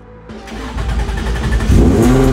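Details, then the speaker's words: Racecar's first cold start after about five months in storage, on roughly the seventh start attempt: it catches quickly and settles into a loud, steady, deep-rumbling idle with no knocks, louder than expected. "[Music] that was a little louder than I expected it to be"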